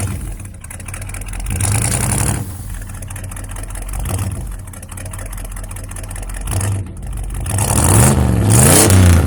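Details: 1965 Ford F100 with replacement 390 V8, exhaust leak fixed: deep, even burble at idle with clean rev rises, no puffing or ticking from the exhaust; runs smoother, some carb problems remain.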